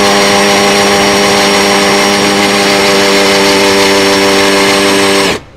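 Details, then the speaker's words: Cordless drill (Makita-battery type) drilling concrete on its slow speed of two: steady, fairly low hum under load then dropping off as the bit stops; drill labouring on the slow setting. "Nếu mà so con này với con quên nãy mình để cấp độ chậm nó có hai tốc độ nữa chậm nè nhanh nè"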